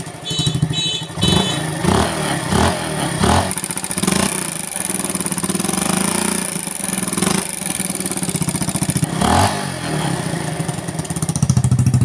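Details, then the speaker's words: Motorcycle with rebuilt engine using non-original parts, after valve clearance readjusted (exhaust set to 0.15 mm), revved with exhaust blocked: crisp clean throttle blips, only a very faint tick; valvetrain quiet, normal revving after adjustment. "kalau kita tutup knalpot kita geber ada suara ee seperti ngelitik dikit karena memang untuk Celah yang X ini kan saya buat di 0,15 jadi Memang agak sedikit bersuara cuma sangat samar sekali"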